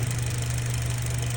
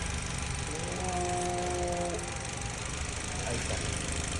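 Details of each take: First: Mitsubishi Cross 2019, 65,000 miles, CVT: steady, low engine hum with no turbine whine on top; noise gone immediately, likely from dirty or wrong transmission fluid. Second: 2019 Mitsubishi Cross, 65,000 miles, with a transmission hesitation and power loss: a steady thin whine over the engine rumble from the CVT, a shaft noise blamed on poor lubrication from very dirty fluid.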